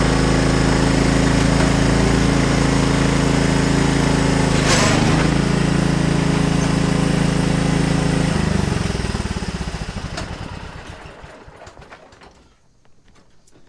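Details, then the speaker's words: Husqvarna LTH130 riding mower after putting the fallen-off drive belt back on (belt still somewhat loose, possibly stretched): even, steady engine drone for several seconds before winding down; tractor moves again and runs normally. "so it runs again you saw it move up it was unable to do anything like that before"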